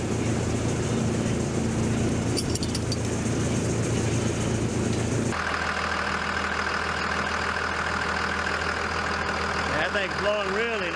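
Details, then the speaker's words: 2001 Dodge Ram Cummins diesel, cold, just after clutch fan replacement: steady idle rumble, then loud rushing fan roar builds when revved; new fan clutch engaged while cold, owner finds it backwards. "so as i rev it up you can really hear that fan i still think that's kind of backwards you wouldn't shouldn't hear the fan when it's cold"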